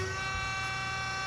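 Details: Wells F-15 auto saw with automatic hydraulic feed, hydraulic pump started: steady, even electric hum with a constant whirring tone and no knocks or surging; pump sounds healthy, though the variable speed pulley is noisy elsewhere.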